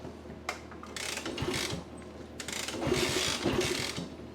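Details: Vintage 1964 Honda C200 pushrod engine, revived after sitting unused for years, kick-started: ratcheting kick strokes and clattering gear noise with no firing. It cranks but won't start despite compression judged more than enough.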